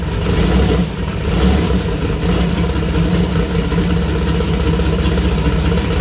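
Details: New 2000+HP LS V8 first start (Dart LS Next block, 4in stroke, 4.140 bore, Brodix BR3 heads, .750 lift solid roller cam): deep lumpy idle blips up and settles back without misses or knocks; healthy, minor oil and water leaks noted.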